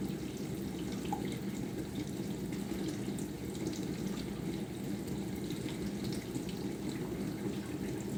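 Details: Bosch SMV50E10RU/D5 Type SD6P1B dishwasher, brought in for humming and not starting, short-program test before repair: pump slows, water tops up, pressure builds; steady spraying hiss with low even pump hum, no grinding, no errors; normal wash cycle.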